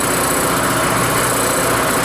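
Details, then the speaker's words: Rototiller single-cylinder engine after carburetor cleaning, cold start with choke on, first pull: fast steady running with light ticking chatter from the rocker cover, possibly loose valve clearance; otherwise running really well. "Got a little noise coming out of that rocker cover from the back and forth, but wow! That's actually really good."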